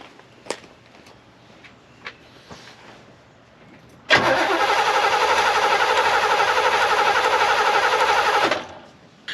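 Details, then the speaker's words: 1967 Chevy Camaro non-runner after setting points, fitting rotor and cap, fuel poured in: catches suddenly, runs loud and uneven about four seconds, then dies as priming fuel runs out; fuel pump suspect. "let's throw the rotor on let's throw the cap on and let's see if it'll start throw a little fuel in there see if it starts"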